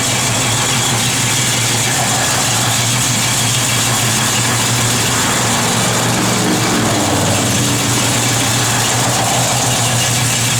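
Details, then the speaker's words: 1970 Plymouth Barracuda, '71 date-coded 340 V8, Edelbrock 4-barrel, headers, Flowmaster dual exhaust, 727 Torqueflite automatic: deep steady idle with slight rhythmic lope from a mild cam, no knocks or ticks. Normal idle. "Just a little cam to it, nothing crazy."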